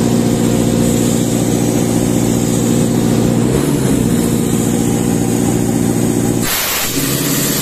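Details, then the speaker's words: Sullair 260 diesel compressor under load, poorly maintained, burning smell: heavy steady drone that never climbs in speed, then air burst; struggles to accelerate, not reaching pressure; speed control problem, maintenance lack suspected; bogging. "tenemos un problema con el control tenemos un problema con la velocidad no estamos alcanzando la presión y es probablemente por eso la falta de mantenimiento en nuestro motor podría estar sufriendo en la aceleración"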